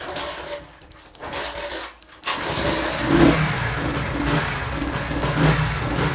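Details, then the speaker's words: Honda CD70 motorcycle converted to LPG with a generator gas kit, petrol line disconnected, started with choke half then fully open: a few quiet kicks, then catches and settles into a steady, even idle; normal start on gas. "तो इस तरह ये बहुत आसानी से फिर start होगा।"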